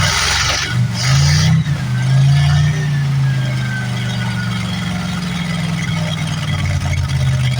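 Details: 1973 Plymouth Fury III V8, off the road 7 years, running cold on bad old gas: an uneven, wavering beat with a slightly unsteady idle. Rough running on stale fuel.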